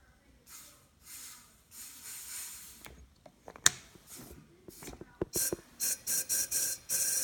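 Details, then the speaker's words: Buell Blast 500, engine out after transmission repair, won't run: compression test at 15-20 psi from top dead center, sharp air hiss bursts with wrench clatter; compression leaking past, pressure pushes the wrench off, cause unknown. "obviously you can tell it's leaking by I've still got enough pressure to push me off the wrench"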